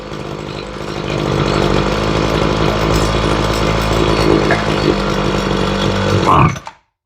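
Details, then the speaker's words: Ryobi two-stroke weed eater after carb and fuel line replacement, during carburetor tuning: the low-side screw went too far down, and it revs hard and buzzy, hunting slightly rather than settling, then cuts out. Lean low-speed mixture. "no and as you can see we went too far down on the low side put her there"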